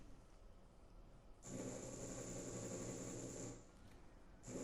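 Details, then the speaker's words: DIY hub-motor e-bike with VESC and Hall sensors, during flux linkage detection: rough buzzing whine surges about two seconds, drops, restarts; motor stutters because detection current too low, raised to 10 A. "you can hear my mother making some weird noises it's supposed to be spending it up right now so we're gonna have to tweak some settings yep there's the air couldn't measure flux linkage properly so I'm just gonna go ahead and up the amperage to 10 amps"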